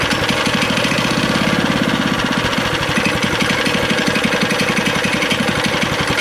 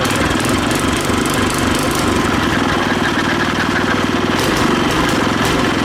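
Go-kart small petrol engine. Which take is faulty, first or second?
first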